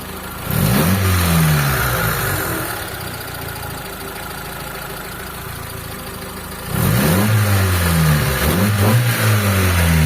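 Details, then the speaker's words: Car with carburetor just retuned after hard starting, now one-click start: clean blips rise and fall smoothly with no stumble or popping, settling to a steady quiet idle; carb not yet cleaned; normal revving. "so ito yung makina niya mga boss anan yan mga boss walang palag yung makina natin tapos ayan umaandar yan oh umaandar"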